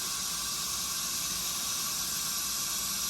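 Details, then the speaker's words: Leak-down test on a 355 cubic inch, 7500 rpm small block Chevy during reassembly, engine stopped, tester set to 100. A steady high air hiss of air escaping from the cylinder reads about 22.5% leakage, mostly past the rings into the crankcase; valves to be tapped to seat them. "it's basically going to gauge how much pressure is coming back into this to determine the cylinder leakage the more air that is escaping uh you know provides less back pressure which indicates more cylinder leakage"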